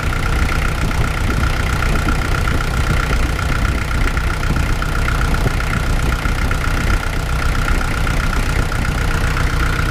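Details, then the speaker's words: Kubota L48 diesel at idle just after resealing hydraulic swing pump 3, fluid circulating: smooth, even idle with a faint steady hydraulic hum, no knocking or surging and no leaks seen; normal idle. "Fire this thing up, see what it does. Start it up at idle."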